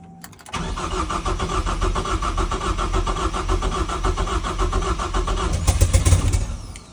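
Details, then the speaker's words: First start of a used 2.3L Ford EcoBoost swapped into an E36 rally/drift car, big vacuum leaks, fuel pump relay rewired: catches after short crank, rough uneven idle about five seconds, then stalls; fuel pump relay suspected. "it's firing yeah work that pedal uh is the fuel pump relay"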